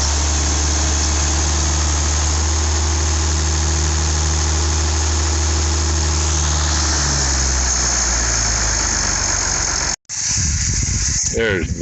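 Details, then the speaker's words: IH 5288 tractor diesel at first start after finishing touches, injector lines bled with fuel to at least four: deep, even idle with a clean steady rhythm, settling lower before shutoff, better than in years; normal idle. "damn that sounds good boy she's thrilled that sounds better than it has in years"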